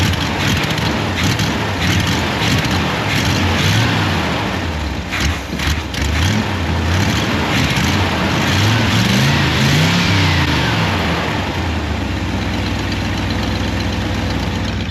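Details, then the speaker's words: 1955 Willys Jeep with 283 Chevy motor, cold morning start after a poor start: lumpy, uneven idle with a wavering low beat that hunts before settling; rough running, probably needs work. "so it started I would say a pretty awful start but it started I don't know probably needs a little love"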